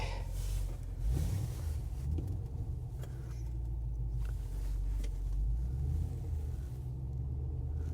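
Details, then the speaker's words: 2010 Chevrolet Camaro SS V8, 127,000 miles, at auction idling in gear with check engine light on and no oil pressure reading: deep, uneven, lumpy idle; engine missing and running rough. "it is missing now so and it does not run well at all I don't know if you can hear that or not but not running well"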